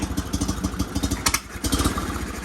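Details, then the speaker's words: Sears GT 19.9 garden tractor, big-block engine, first start after sitting about 2 years; uneven idle with irregular chuffs and a brief falter before picking up, rough running. "Somebody's not very happy. She's not happy."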